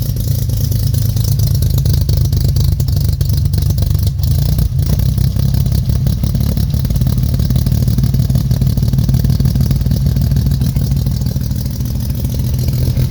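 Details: 1969 Jeep Willys CJ5, cold spring start after sitting about 7 months over winter, dead battery charged and jump-started, choke on, pedal to floor: deep, loud, uneven roar rising and falling with revs as the cold engine struggles to run smoothly.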